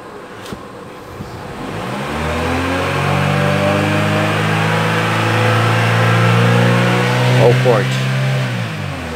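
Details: Chevrolet Cruze that had been misfiring, after repair (coil swapped but not the cause), at about 78 degrees: engine rises cleanly from idle, holds a steady rev and drops back with no stumble or misfire; runs smooth and even.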